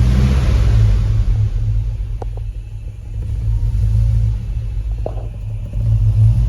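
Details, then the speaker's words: Hemi-swapped full-size Jeep Grand Wagoneer chasing an idle problem: deep V8 idle rumbles, sagging and dipping in speed as it warms before recovering; previously it would idle down, bog and die, now it stays running. Cause unconfirmed; suspects include intake air temp sensor, oil temp sensor, misfire. "Better than it was. Because that was the part we're used to, it would just die. But it's staying running."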